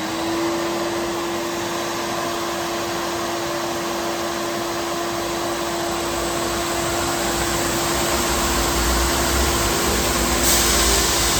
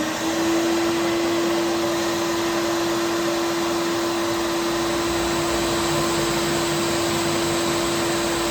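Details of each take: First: Abrasive finishing machine with two heads (P120 then P180) cleaning flange surfaces of a 14 ft, about 6 in aluminum beam: steady even mid-pitched roar, no surging or chatter; normal running. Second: Wide belt grinder finishing the flange of a 14 ft, about 6 1/8 in aluminum beam, run very slow to avoid heating the part: steady constant-pitch whine with even hiss throughout; low belt speed pass.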